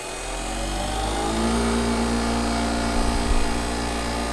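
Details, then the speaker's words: Maple sap vacuum pump, heated in cold Maine weather, started with releaser valve closed: steady motor hum building then settling as vacuum comes up; healthy start-up. "So it should wind right down though, as the vacuum comes up, because the valve down there at the releaser is closed. Yeah, it's coming down now."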